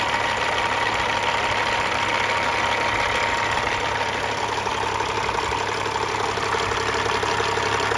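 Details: 1999 Freightliner FLD120 with Caterpillar 3406E, 13-speed, rebuilt engine (head, injectors, turbo, pistons, liners), warm after about half an hour running: even steady idle with regular low clatter, no knocks; sounds healthy.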